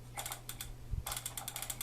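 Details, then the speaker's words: Zebco 606 fishing reel that arrived frozen and dead still turns, but very stiffly: uneven ratcheting clicks in short bursts with low drag as the handle turns hard, before disassembly, cleaning and lubrication. "First off, it does turn. But when it turns very difficultly, and if you listen,"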